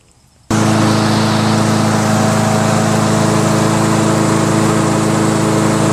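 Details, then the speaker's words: Mower engine: starts at once and settles into a steady, even drone with no misses; running normally. "I guess that's all it was. Starts now."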